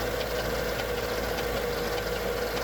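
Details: Mercedes E55 AMG M113K at cold start, fast light mechanical ticking from the left cylinder bank head, gone after 10–15 minutes warm; began after switch to 0W40 oil and 98 fuel; owner suspects lifters or timing chain.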